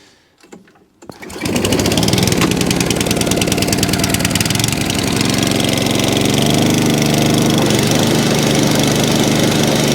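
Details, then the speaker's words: ATCO 14SE cylinder lawn mower with Tillotson carb, holding fuel, started on choke; fires after a second and settles into a fast, even single-cylinder beat with no misses or stumbles; runs lovely, normal running. "So that's lovely."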